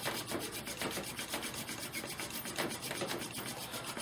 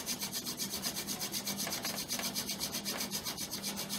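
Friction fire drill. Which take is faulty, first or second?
second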